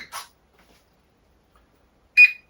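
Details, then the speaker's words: Volantex Focke-Wulf Fw 190 4-channel RTF RC plane powering up: battery plugged in, held still for gyro stabilization, transmitter turned on. Two short high chirps about two seconds apart in a quiet room; normal power-up beeps. "So what we'll do is we'll go ahead and plug this in and wait a couple of seconds. We will turn on the transmitter."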